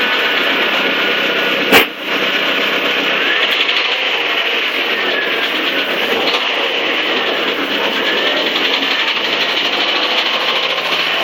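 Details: 1997 Saturn SL2 petrol engine revving lightly with a fast, light ticking over a thin high running sound, from the passenger side only under acceleration, worst at 2-3k rpm, slowly worsening; cause unknown.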